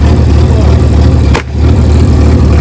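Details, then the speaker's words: Loading shovel abandoned 18 years, its diesel running on five cylinders with seemingly little hydraulic oil. A steady, deep rumble is interrupted by a sharp hiss-crack as a hydraulic hose, likely the lift cylinder's, splits under load. "I think the hose is split anything oh yeah we got we got a hose gone that's that hose there"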